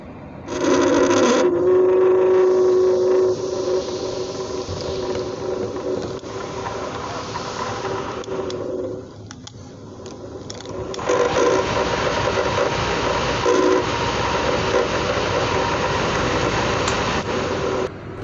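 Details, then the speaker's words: Rear AC blower in a Toyota Avanza/Xenia-type car runs with a rough, snoring growl over its steady hum, confirmed as coming from the blower motor itself. "jadi suaranya seperti itu teman-teman kalau suara seperti itu dia itu suara dari Emang bener-bener suara dari blowernya ya teman-teman"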